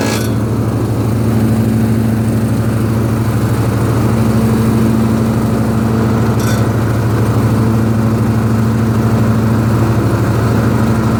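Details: Husqvarna riding mower with the cutting deck engaged, moving or standing still, blades confirmed tight. Loud steady drone with harsh metallic grinding through it; source not identified.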